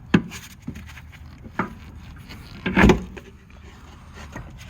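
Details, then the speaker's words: 2011 Kia Sorento rear shock absorber, over six years old, worked by hand: short creaking squeaks and rubbing from the loose, come-apart lower bushing; squeaks over bumps while driving, so the shock is being replaced. "you can hear the squeaky sound and the bushing has come apart so that could be why it always causing the squeak sound from a worn out shock absorber"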